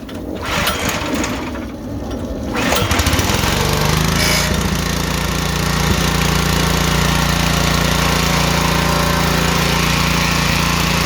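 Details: Honda-style pressure washer engine after carburetor cleaning, primed with pulls, choke on: pull-start, then engine picks up and holds steady even drone without surging or misfiring; running normally.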